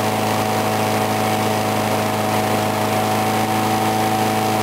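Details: Briggs & Stratton single-cylinder mower, cold start in 35°F weather, unused since a snowy-day start with water in the gas, fired on the first pull; holds a smooth, steady drone with no misses or surging, running normally.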